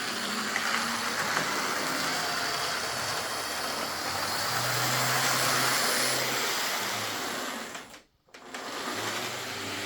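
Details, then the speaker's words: Used Lima Class 55 Deltic model locomotive on first test, before service: a coarse, high-pitched whirring buzz with a slightly uneven rhythm and a brief stop. Speed is fine but it is noisy, drawing just under 200 mA. "Noise-wise, I've heard a lot worse, but yeah, I think we can maybe quieten it down a wee bit."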